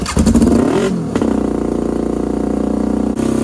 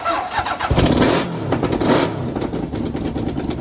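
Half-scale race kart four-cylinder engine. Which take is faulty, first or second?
first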